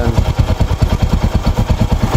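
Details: Rouser 135 motorcycle after repair of its smoking problem, no airbox fitted: low, even thumping at roughly seven beats a second, steady with no knocks or rattles. It is a clean, quiet, healthy idle with the smoke gone.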